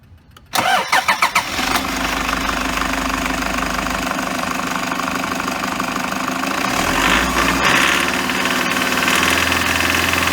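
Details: Engine belt noise on a 2008 Toyota HiAce Super GL van (ADF-KDH201V, 137,735 km): cranks and catches, then idles with a steady light chatter and hiss from the fan belt drive, coming from the idler pulley.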